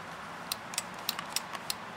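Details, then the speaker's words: Weslo treadmill control-panel power micro switch: a handful of sharp, crisp clicks at irregular intervals in a quiet room; the switch snaps cleanly and works normally. "You could hear it clicking right here. You could do a continuity reading between the terminals to make sure the switch is working."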